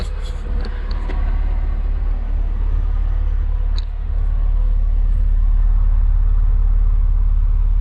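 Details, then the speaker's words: Neglected Alfa Romeo Spider, first start after months unused, started by bridging the relay: steady, smooth deep low rumble with no misses or knocks and no oil starvation; normal running. "You hear how it's just so smooth, this engine. It hasn't started in months and months and months."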